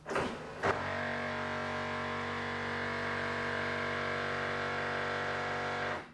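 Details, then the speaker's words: 1997 Pontiac Firebird Formula headlight motor, steady strained whine with a coarse gritty edge for about five seconds; factory plastic gear inside the motor likely stripped, headlight fails to move properly. "apparently these have uh by Factory a little plastic gear in them and those gears strip out and that's what that noise is"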